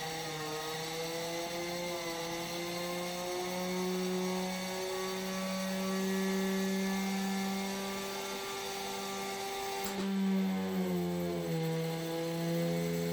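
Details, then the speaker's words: Homemade hand-wound axial flux motor of about 1000 W on a VESC capped near 70 A, speed limit lifted above about 6,000 RPM: a high whine climbs with speed, then a sharp crack at ten seconds and an uneven tone as a rotor magnet flies off; the magnets need re-epoxying. "And also spinning it super fast eventually made a magnet fly off, and you'll hear that in this clip."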